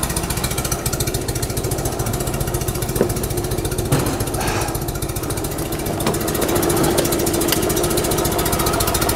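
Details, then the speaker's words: 1974 Fiat 500 twin, ignition timing set a few months earlier, distributor cap found loose: uneven, lumpy beat that stumbles and surges, misfiring and running rough, jerking and shaking. "läuft recht recht bescheiden ruckelt und wackelt"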